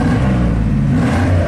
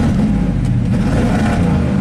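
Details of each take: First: 1987 GMC 1500 plow truck that had warm-under-load misfire and stalling, revved after the ignition problem was fixed and proven with a scope: deep steady roar, smooth even revving, no stumble or popping. Normal revving. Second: 1987 GMC 1500 plow truck V8, warmed up and under load in gear: deep, uneven rumble that sags briefly, a stumbling misfire; suspected secondary ignition problem such as the distributor cap, not confirmed.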